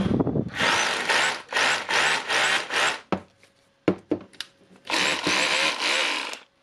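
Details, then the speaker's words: Makita DHR202 18V LXT SDS hammer after replacing a broken field magnet yoke unit for lost power: repeated short bursts of high even motor whir, no grinding or rattle; sounds nice. "okay, sounds nice."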